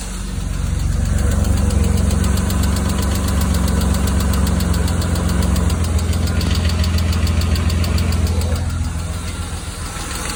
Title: E36 knocking ticking sound